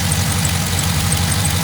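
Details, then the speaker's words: 2008 GMC Denali 1500 6.2L LS V8 after cold start, about 41°F: steady idle with faint irregular high chirps from the front; owner suspects alternator squeak, belt jumping and needs replacing; not confirmed. "I have a little squeak coming up front pretty sure that's my alternator squeaking like"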